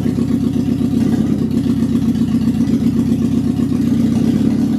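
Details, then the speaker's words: Classic Alfa Romeo with rebuilt Weber 40 DCOE 2 carburettors: uneven, lumpy, stumbling idle; throttle valves not sitting well on one carburettor, flow meter reading about seven or eight versus about three, causing air leak and rough running. "we found out that actually the problem is the throttle valves are not sitting well on this carburetor"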